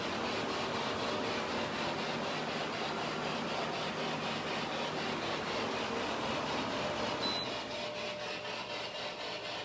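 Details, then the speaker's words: Small internal fan in an apartment, the other fan rather than the air conditioner, making a continuous rough grinding whir with a quick regular throb of about four per second. Cause unclear. "That's what's causing that noise, okay? Something's grinding, something's working on it, okay?"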